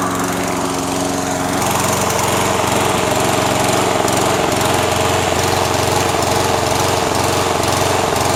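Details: Toro SR4 Super Recycler mower, 159cc engine, running with no load before repair: speed swells and sags every few seconds, governor hunting; surging later repaired.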